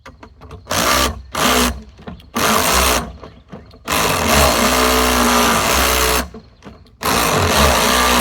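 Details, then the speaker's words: Lawn-Boy "bricktop" two-stroke mower, spun in repeated short drill bursts, never firing or running on its own; owner suspects carburetor troubles. "Yeah, I think we got carburetor troubles."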